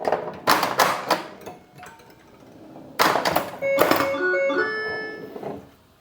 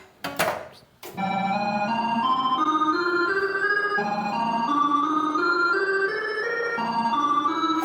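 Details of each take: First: Bally Paragon pinball after logic-probe diagnosis and solder repair of AS-2518-50 sound board; solenoid thunks and kicker hits then clear electronic chimes and tones; sound board producing game sounds, though owner thinks it sounds slightly odd. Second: Bally Paragon pinball with repaired AS-2518-50 sound board: rising stepped organ-like bonus count tones; sound works again but the bonus count tune sounds slightly off, not yet compared with a reference.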